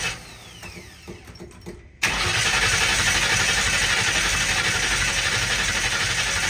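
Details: 1960 Ford F100 shop truck, first start in years, carburetted, open header; after a quiet pause the starter cranks at a steady four beats a second with a loud hiss, never catching; owner suspects stuck float, jets found clogged.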